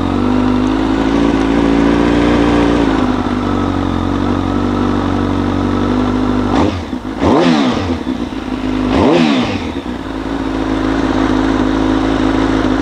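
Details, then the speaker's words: Streetfighter motorcycle build, first run in 233 days after a track crash: even idle, two quick blips rise and fall cleanly back to steady idle, no knocks or rattles; healthy. "Man, that felt fantastic to hear this thing run again. It's been 233 days since the last time this motorcycle has ran."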